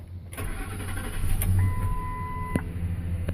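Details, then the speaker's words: 2007 Ford F-150 that cranked but would not start: after the broken, corroded fuel pump driver module was blown out with compressed air and reconnected, the starter cranks briefly and the engine catches into a steady idle. It now starts cleanly. "we go she's running"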